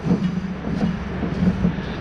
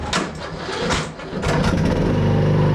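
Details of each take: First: Craftsman T110 mower deck spindle spun by hand with belt tension and brake released; low, gritty rumbling roar swelling and fading each turn; spindle is done; worn spindle bearing. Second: Craftsman T110 riding mower after tune-up and new deck spindle replacing a noisy bearing, blades engaged: engine settles into a steady, even drone with a smooth deck whirr; running clean.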